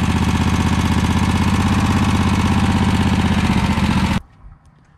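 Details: Scag V-Ride mower with belt removed: engine runs steady and even with no bearing noise; owner now suspects the loose, sloppy pulley, possibly hydro pump bearings.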